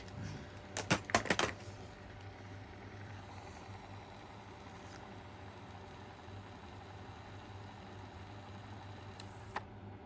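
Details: Sony WM-FX181 Walkman on two AA batteries, after replacing a drive belt that came off in transit: a few button clicks, then a faint, even motor hum holding steady pitch while rewinding; rewind works normally, no auto-stop at tape end.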